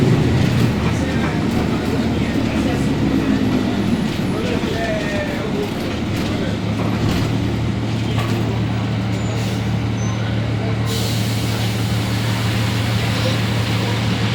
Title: [ENGINE SOUND] Caio Apache Vip 4 Mercedes Benz 1724L com diferencial roncando muito alto